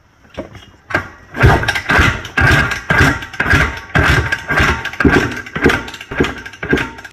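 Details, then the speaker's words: Freshly rebuilt 1982 RM465, kicked for its first start: slow, uneven kick-over thumps about two a second with no firing and a soft push. Compression test shows just under 100 psi, too low to start; the rebuild was a gamble. "Well, it looks like we have just under 100 pounds of pressure. I don't think it's anywhere good enough to start, so."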